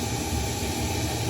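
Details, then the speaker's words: About 20-year-old combi boiler, flue fan at the top of the unit running: constant airy whirring with a rough, buzzy drone. The fan motor bearings are worn; fix is to lubricate them or replace the fan assembly. "You can hear how loud them bearings have got, and obviously the boiler's quite noisy."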